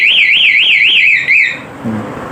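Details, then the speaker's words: Kawasaki D-Tracker with CR7 alarm locked, starter pressed with key in: loud high warbling siren sweeping up and down, louder with each start attempt, then cut off; anti-theft alarm triggered, blocking the start. "Nah setelah kita kunci seperti ini nyalakan nyalakan ini tidak akan mungkin menyala walaupun kuncinya menempel starter starter sedangkan menyala ya malah makin keras suaranya"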